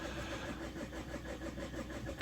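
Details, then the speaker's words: Opel 1.9 diesel in frost, not starting: quick, even cranking with no firing. Rail pressure does not reach the specified level, so the injectors were tested and two were replaced. "Воно не дотягує, бачите, не дотягує. Зараз будемо робити тест. Дивіться. Ну, оскільки тиску у нас немає в рампі, зараз протестуємо форсунки."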